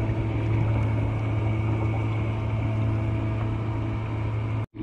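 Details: 12V 3A bilge pump on a kayak, run from a 12V 1.3Ah lithium battery, water shifted aft so it reaches the pump: steady, even electric hum until cutoff; pump running normally, moving water.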